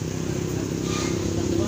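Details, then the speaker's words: Honda Beat FI scooter, noisy CVT (panggilid): steady idle with fine, fast metallic chatter from the clutch plate; gears checked fine, clutch plate is the noise source and should be replaced. "So yun ang maingay Yung kanyang sa clutch plate so susunod palitan lang daw"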